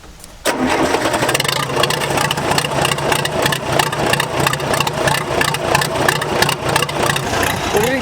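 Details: Case dozer diesel cranks with an uneven, labouring rhythm, around three turns a second, before it struggles to run. Hard start; owner says low compression.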